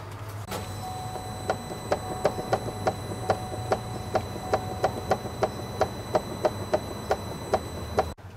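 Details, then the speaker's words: Buick, recorded from underneath: sharp repeated clicks about three per second over a quiet hum; suspected worn telescoping square joint in the intermediate steering shaft clunking, not confirmed. "what happens is they got a square going into a square as a telescoping thing and um they get a little war and then that's what that clunk is the the two squares clunk like this"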